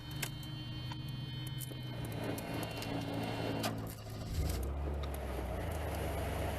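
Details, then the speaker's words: Mercedes 300E (W124) blower after replacing the special blade fuse: smooth, steady fan hum shifting speed partway with no squeal or rattle; the blower works again, though the switch is bad. "we got the fan back that switch is bad"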